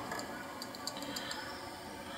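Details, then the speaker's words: Old Seagate 80GB SATA hard drive on first power-up: sharp, irregular light clicks over faint hiss as the heads knock; failed head assembly, suspected wear of platters and heads from age. "первое включение щелкает головками вы нас слышите бьется головками"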